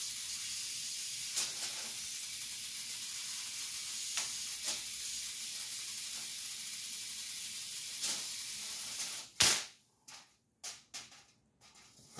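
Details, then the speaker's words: Ion lifter 2.4 high-voltage supply: steady high-pitched hiss then a few sharp clicks, corona discharge at the eighth stage of the multiplier while running the six-stage output; dielectric grease applied to quiet it. "the eighth stage was actually having some Corona discharge so that's why you actually hear the hissing so I actually put some Dielectric grease on it"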